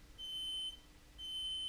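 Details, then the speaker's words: Mobility scooter that suddenly stopped driving, no status light flashing: throttle pressed, only beeps and no motor sound. Electric brake problem suspected, not confirmed. "let's see what happens when we press it nothing I can't even hear the motor spinning"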